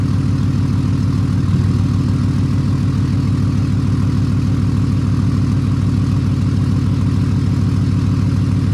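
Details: 6.7 Cummins diesel idling after VGT actuator replacement with a pre-calibrated unit and a 24V update, recorded from the rear of the truck. A steady, even idle with a regular clatter of about 200 beats a minute and no misses: healthy.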